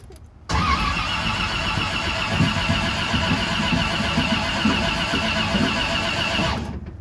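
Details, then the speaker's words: 1967 Corvette V8, first start attempt after rebuild with new lifters and HEI distributor: starter cranks steadily about six seconds with no firing; distributor installed 180 degrees out. "It's doing nothing. Maybe I don't have something hooked up in the distributor."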